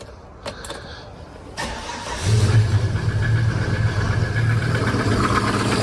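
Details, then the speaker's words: Volvo automatic bought on Marketplace, started with a jump pack: engine catches after a few cranks and settles into a lumpy, uneven low idle with a shaky beat; rough running, cause unclear. "That doesn't sound too healthy. Does that sound not very healthy to you? Oh, it sounds awful."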